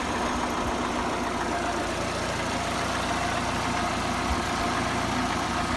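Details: VAZ 21124 16V engine idling with a faint, fast tapping through the low rumble, sounding the same cold and hot; engine knock, source unknown.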